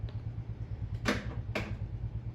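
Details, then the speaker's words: Samsung washing machine started with its beep sound disabled: low, even motor hum with two sharp clicks as the drum shifts to sense and weigh the load, and no beeps; normal load sensing. "Ahí le damos inicio, está empezando a censar, pero si se dieron cuenta ya no nos está haciendo."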